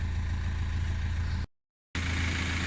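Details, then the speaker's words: Mk5 Golf with 1.9 TDI PD105 (BKC) after turbo replacement and EGR valve/cooler delete, road test with a few pulls: deep steady diesel drone under load, no whistle or flutter; boosting perfectly, behaving normally. "Obviously nothing too crazy, but it's behaving just as it should, boosting perfectly, and that's about it."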